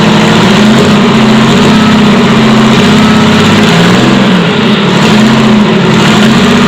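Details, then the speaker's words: Detroit Diesel 6-71 two-stroke at first start, with the rack controlled by hand. It gives a loud, high-revving roar that surges and dips and never settles, because the governor was found broken up inside. "it was at this point that i discovered that the governor had broken up inside"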